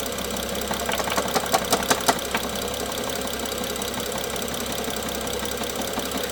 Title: n55 bmw f07 engine knock part 3